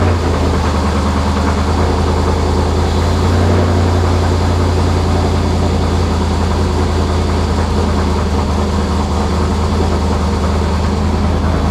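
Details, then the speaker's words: Camaro with Sniper EFI, cold start recorded from behind the car: loud, deep, steady rumble at fast cold idle, even firing, no misses or ticks; running healthy. "oh my god this thing is so loud i hope y'all can hear me this thing is so rowdy when you first start it up"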